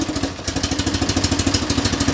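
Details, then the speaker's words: Small twin-cylinder fleet car idling with a small mic placed close to the engine while the choke and fuel mixture are adjusted. Quick, even putt-putt pulses at a steady idle with no misses; the owner judges it too much choke, then not quite enough. "that sounds like a bit too much choke now that's probably not quite enough"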